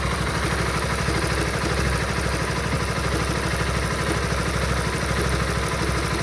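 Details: Honda Supra GTR 150 motorcycle at a steady idle with a fast, even clatter riding on top; abnormal engine noise at idle, cause not pinned down by ear.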